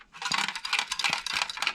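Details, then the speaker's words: HP StorageWorks tape drive shaken by hand: bright metallic clinks in loose bursts as something rattles loose inside; cause not confirmed. "it rattles that can't be good right"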